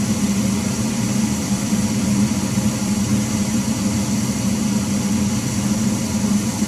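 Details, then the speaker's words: Failing furnace blower motor makes a loud, steady drone with a strong low hum, heard throughout the house; soot is built up near the burners, and the motor, or the whole furnace, needs replacing after a house fire. "so all right you can hear that loud noise that's what's being heard downstairs throughout the house the motor needs to be replaced"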